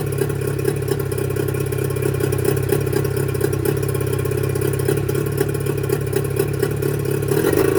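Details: Mercury 25HP two-stroke outboard before Boyesen power reed install: uneven, lumpy idle with irregular firing and small rev surges; the original reed valves blamed for the rough running.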